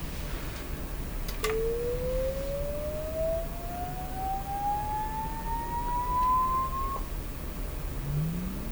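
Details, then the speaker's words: Sony TR-712 transistor radio, signal tone fed straight to the speaker without amplifier: pure tone sweeping smoothly upward, no buzz over faint hiss; speaker reproduces a clean sine wave. "sure yeah that has a proper sound to me to me that sounds like a a nice sign weight"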